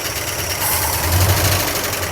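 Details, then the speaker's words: 1976 Dodge D100 Adventurer V8 parked 13 years, first start after long cranking; rough idle with loud, busy top-end clatter that does not quiet. Heavy valve train noise, owner suspects a bent pushrod or bad lifters not pumping up. "Wow. I think we got a bent push rod or bad lifters. See if they pump up. Oh, that's terrible. Terrible valve train noise."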